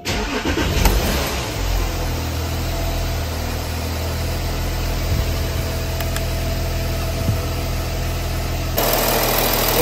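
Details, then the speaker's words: 2015 Porsche Cayenne 958 diesel, about 110k miles, first start after water pump replacement and a vacuum coolant fill: it catches quickly and settles into a smooth, even idle with no knocks or squeals. Runs true with no major leaks. "so far so good um that looks like it's running true don't see any major leaks"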